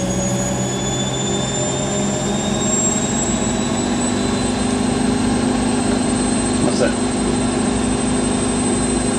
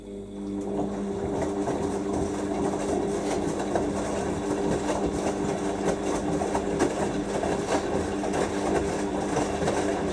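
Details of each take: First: Rescued Siemens WH54080/07 Extraklasse XL 1000 washer, Cottons 90°C test load, final spin at 1,000 rpm: even high-speed hum with faint whine, no knocking, quiet with sound insulation and no vibration; normal spin. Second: Siemens WH54080/07 Extraklasse XL 1000 washer on a 90°C cottons wash, spinning at about 800 rpm, first wash after a new pump was fitted: steady motor hum with uneven thuds and rattles. The load shifted, leaving the drum unbalanced.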